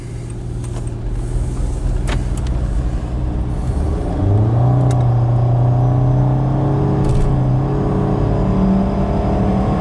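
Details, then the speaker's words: 2013 Nissan Altima with a known transmission issue, driving on open road. It pulls under throttle, but the revs waver and the drone rises and sags unevenly, a stumble the owner suspects comes from the transmission. "But the RPMs fluctuate when you give it gas."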